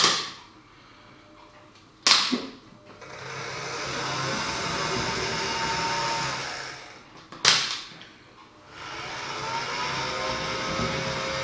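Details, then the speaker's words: Dapol Class 09/08 O gauge shunter at about 45% power on test track, before greasing and running in: a loud, constant high-pitched whirring and buzzing between two clicks; a noisy main drive gear. "So you can see it is quite noisy, and that was about 45%."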